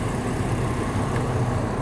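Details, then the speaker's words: 2008 Chevy Trailblazer engine idling with a deep, steady low-end knock. A stethoscope finds it loudest under the centre of the oil pan, diagnosed as a spun rod bearing. "I end up figuring out that it was allowed us right underneath the bottom from the center of the oil pan so I know it's got a spun rod bearing on it"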